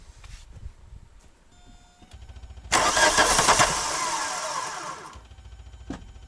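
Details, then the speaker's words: VW Golf MK2 diesel after new return lines were fitted: it cranks, catches roughly for about two seconds, then dies. The accelerator does nothing and it idles off the lift pump; owner suspects a failed injection pump. Not confirmed. "we learned that our accelerator this guy was literally doing nothing this is our our our accelerator and it was literally idling which you heard just now was idling off of the lift pump itself"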